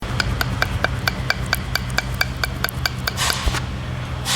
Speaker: ऐसी आवाजें आती है जब आप खराब सस्पेंशन में गाड़ी चलाते हो तो जो आपको अंदर आवाज आती है ना कट कट कट कट तो ये वो आवाज रहती है